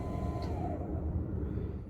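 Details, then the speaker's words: 2011 Can-Am Spyder RT-S, ACS suspension pump activated with the suspension-up button: only a steady electric motor hum with no pumping; the motor spins but the pump has separated from its drive, a classic failure. "Just a We just hear a motor running. Notice what you don't hear. You don't hear the pump going. The um it's that classic thing where it's separated itself."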